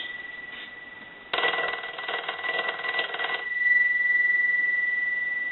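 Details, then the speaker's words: Stromberg Carlson 2-1553 rotary wall telephone after repair and conversion, final checks, ringing the unit: crisp rapid even bell ring about two seconds then clean fade, rings properly. "we want to go ahead and start our final checks so we'll go ahead and ring the unit will let that go a few times"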